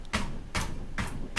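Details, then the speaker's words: Toyota Tacoma with Falcon shocks: four dull knocks on the spare tire after tightening it with the spare tire wrench, dying out cleanly; the squeak and tinny rattle on bumps are gone. "no more squeak no more little tinny rattle that's awesome so finally i was able to find out what it was"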